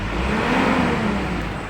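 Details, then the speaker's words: Mitsubishi Pajero overheating at high speed, gasket recently replaced and failed again: low droning fan howl at about 2000 rpm that disappears when held at 3000–4000 rpm, fan seemingly slipping; cooling fan howl. "Itu suara kipasnya tuh e terdengar seperti itu Nah terdengar ya suara kipas seperti seperti aungan pada saat 2000"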